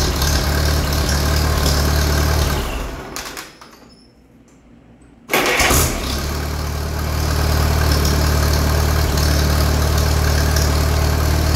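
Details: Allis Chalmers tractor engine (Allis B or similar) after magneto timing, started with a ratchet and no kickback: a steady low putter that dips out briefly then picks straight back up. Timing is good.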